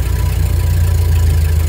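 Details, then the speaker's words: 1930 Ford Model A just after a choked cold start with the spark pushed back up: deep, fast, steady rumble with quick even pulses, engine idling high before being brought down to standard idle. "now you hear how the engines actually is running pretty high right now"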